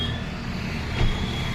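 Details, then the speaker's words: Maruti Swift Dzire diesel after repair of pickup, engine noise and mileage problems, EGR valve serviced: steady, even idle with smooth low rumble, fixed rpm, no knocks or rattles, no engine light; normal idle. "गाड़ी start है य देखो अब आएगा थोड़ा sound य गाड़ी में अगर बाहर खड़े तो कोई साउंड ही नहीं आ रहा इतना प्यारा साउंड बनाया है"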